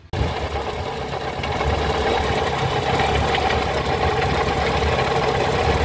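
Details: Mitsubishi Lancer box-type running: rough gritty rattle with a fast knock about four times a second over idle; bad water pump bearing, pump to be replaced.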